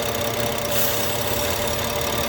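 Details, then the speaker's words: 2013 BMW 535i idling with surge and engine light on: steady airy hiss over the idle from a vacuum leak through a failed PCV diaphragm, found via high vacuum at the oil cap. "and then now it's it's probably going to be higher because that's leaking. You can hear it."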